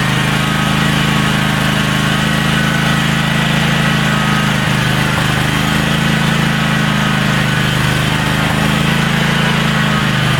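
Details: DR brush hog small single-cylinder engine after carburetor clean-out and main jet cleaning, started in neutral: settles into a steady, even drone with no hunting, surging or misses; running cleanly.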